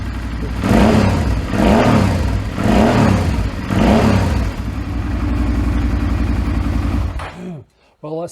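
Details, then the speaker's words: 2008 Suzuki V-Strom 650 with swapped used engine of unknown history, first run: four clean throttle blips rising and falling, then steady even idle, some debris spitting from exhaust; twin sounds smooth and healthy. "sounds pretty good. Sounds nice."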